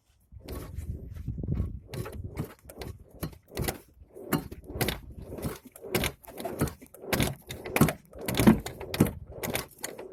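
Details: 2009 ZAZ Chance 1.3 with power steering, torn steering rack boot, strong knock when turning the wheel: irregular heavy clunks about one or two a second as the wheel is rocked; owner suspects the steering rack.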